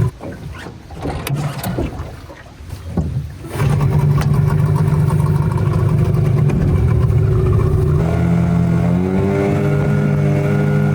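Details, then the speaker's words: Unbranded Yamaha Enduro-style 20 hp two-stroke outboard, brand new, on a boat after trimming up a peg: quiet start, then revs climb high and flare without pulling harder as the prop cavitates; owner suspects transom height or shaft about an inch too short. "You hear the engine revving really high, it's cuz it's cavitating."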